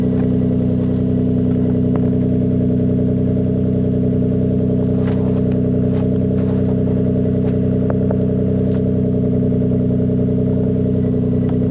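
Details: MK4 Toyota Supra 2JZ-GE after its split exhaust manifold was welded and refitted with the induction kit: a deep, steady, even exhaust note with no ticking or puffing leaks, much better than the earlier blowing tractor-like sound. The engine sounds healthy and sealed.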